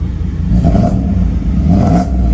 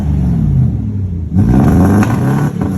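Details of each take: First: 1995 Mercedes S500 W140 after cleaning distributor caps and rotors to fix a misfire: two smooth throttle blips, clean rise and fall, no stumble; idles much better, throttle response slightly hesitant, fuel filter possibly due. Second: 1995 Mercedes S500 W140, warmed up: idle lopes and stumbles in uneven surges like a two-step limiter; misfire, cause not pinned down.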